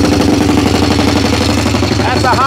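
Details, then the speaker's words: Honda 250X ATV single-cylinder, sat about 10 years, just started after two or three kicks in neutral with a replacement fuel tank, fresh spark plug: loud, uneven lumpy idle; still needs tuning, cause not confirmed. "Honda still got to do some tuning you can hear it but she's running so there we have it she fired up after about two almost three kicks"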